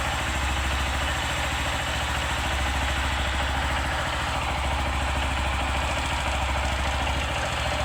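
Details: 150 cc motorcycle single, engine rebuilt about 1.5–2 years ago with new connecting rod, cam chain, tensioner and head work: light quick clatter at idle, noise appears when hot; owner suspects piston, disassembly needed to confirm.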